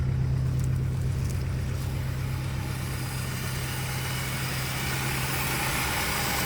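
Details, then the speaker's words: 1962 Chrysler Newport 361 V8 with TorqueFlite A727, first run after 17 years parked, on a gravity-feed fuel tank with no radiator: low even rumble and smooth rev rise, no knocks, little smoke; runs normally. "oh sounds pretty good actually and doesn't even smoke or nothing no smoke this car is probably going to run pretty good"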